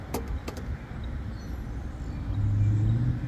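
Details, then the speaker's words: Rooftop AC unit with no cooling after a storm, thermostat wires jumped (red, then yellow): a few clicks, then compressor and fan start with a low steady hum. Normal running. "Yellow. Yep, everything kicking on, fan kicking on."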